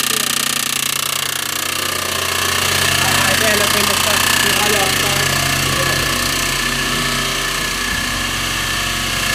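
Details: Audi A6 2.7T replacement used engine, noise began after 50 km, aux belt removed: sharp metallic knock about three times a second. Cause was an engine backplate bolt that backed out and struck the back of the flywheel, probably never torqued.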